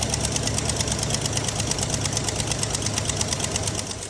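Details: GMC/Chevy LS engine at cold idle with a fast light ticking about three per second, from exhaust leaking past a broken-off front manifold bolt; fixed with a bolt-on clamp instead of extracting the bolt.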